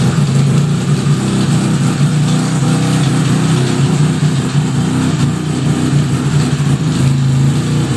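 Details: 1975 Suzuki RE5 rotary after full restoration: steady running with a rough low drone and a faint uneven whirr underneath; abnormal gearbox noise, cause not yet traced, engine to be removed to inspect the transmission internals.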